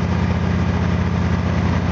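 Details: Small engine (FG8) after spark plug gap increase, warmed up about two more minutes: steady, even low idle with no hunting or surging, holding speed smoothly; emissions down and analyzer readings steady.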